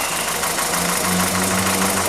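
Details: 2012 VW SpaceFox 1.6 8v warm at 90°C idle, oil pressure 1.6 bar at head and 2.9 bar at filter: fast, even metallic tapping knock from the engine; suspected pinging or piston slap, ethanol-only test advised, remap if cured, otherwise open the engine.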